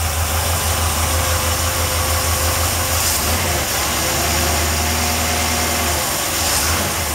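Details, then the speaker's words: 383 stroker V8 in a Chevy truck with a stock-rebuilt carburetor (stock jets and idle feed restrictions): idle lifts cleanly on each throttle blip and drops back smoothly; crisp, responsive, running well. "the thing pretty good running an engine at the real responsive haven't done much to the carburetor"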